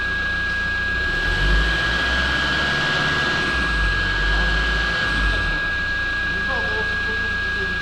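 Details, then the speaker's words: Rebuilt Toyota Land Cruiser Prado 1KD-FTV diesel after turbo and rebuild, throttle blips after five minutes' warm-up: rises and falls smoothly with a steady high whistle over it, no flutter or surging; runs completely differently, normal revving. "Oh oui, le moteur fonctionne complètement différemment, les gars. Complètement"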